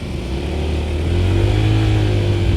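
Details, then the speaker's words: Honda ADV 160 scooter, about 1,000 km, after CVT service for Bromo dust and heat-discoloured, scratched CVT bowl that had caused judder on pull-away: smooth note building steadily from about 2,000 rpm, biting around 4,000–6,000 rpm, no slip or judder. "Ya, lebih lebih ngegigitnya kerasa di RPM 4.000-an, 6.000-an. Ya, itu motor matic lah, ya."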